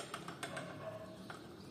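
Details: 2015 Chevrolet Spin suspension: sharp, uneven clicks and knocks from a worn sway bar link ball joint whose torn rubber boot let sand and water in, leaving it loose.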